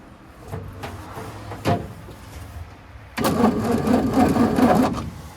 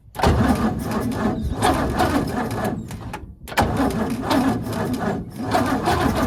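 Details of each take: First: 1942 Ford 200ci after 20+ years idle, cranked on the key once out of gear, with a remanufactured non-stock carburetor: starter spins the engine at an even, quick rhythm with no binding; turns over freely but doesn't catch. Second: 1942 Ford 200ci cranking after 20+ years idle, premix fed in to lubricate the top end, starter apparently original from 1965: sluggish, uneven cranking in bursts with a few catches but no run; starter has issues, engine wants to fire.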